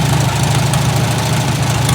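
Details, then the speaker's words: Farmall Super A tractor started with a little choke before gardening season: fired right up, steady low chugging idle, even firing without misses or knocks; running smoothly. "Like a champ. Fire right up."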